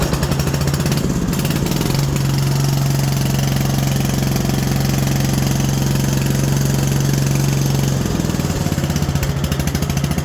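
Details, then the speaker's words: Modified 3416 lawn tractor, cold engine after being fixed and tuned and deck/drive reassembled: steady, even thrum at constant speed with no knocks or misses; normal running. "Let me fire it up and run it, and we'll see how it sounds now that everything's been all fixed up and adjusted and put together."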